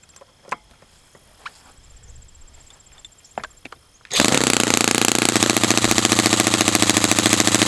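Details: Brand-new customer Saito FA-100T four-stroke twin glow engine on test stand, first break-in run after choke priming, full throttle: steady, even high-speed drone with soft rhythmic beat; running rich, oil dripping from exhaust, not lean. Normal rich break-in run.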